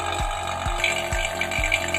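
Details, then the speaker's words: Vacuum pump evacuating a Sharp single-door refrigerator (not cooling) via manifold low-pressure valve before refilling with new freon: steady motor hum with a regular gurgling pulse about twice a second, settling even; normal, stable sound means the air is removed. "Untuk pemvakumannya ini kita tunggu sekitar 10-15 menit ya, sampai udara yang ada di sistem terbuang habis dan juga suara dari ininya vakumnya itu stabil. Kalau suaranya sudah stabil berarti udara yang ada pada sistem pendingin sudah terkuras habis."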